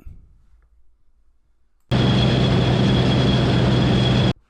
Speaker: I hear that Whistling noise also I got to look into it what it is it's the drive belts which move the carriage